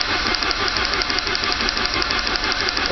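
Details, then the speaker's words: Saab 900 turbo restarted after oil pressure loss caused by a tiny steel piece jamming the oil pressure relief valve open; oil pump and relief valve removed, pump primed with grease, new filter. Harsh metallic clatter about twice a second right at start-up, until oil pressure builds. "hopefully when it starts up the rattling goes away Smooths out to where an engine supposed to sound like"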